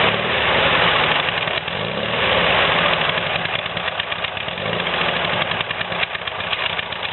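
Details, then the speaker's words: VW air-cooled "new" replacement engine after carb cleaning and jet replacement, still on break-in oil. The owner has some concern about occasional smoke after long idling. It idles steadily and evenly with a smooth exhaust pulse through a new quieter exhaust, with no misses or knocks. Normal idle. "Maybe wishful thinking there, but it's running good now. It starts easily and has more power and is smoother than the engine we took out."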